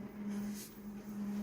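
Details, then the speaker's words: Konica Minolta copier making a colour copy: a sustained low-pitched squeak on one steady note throughout, described as chronic and terrible on an older machine; source inside the copier not identified. "that low pitched squeak folks it's not a good thing for ya hear that as clear as day it's terrible it's chronic and an older so wonder this machine hasn't broken down yet"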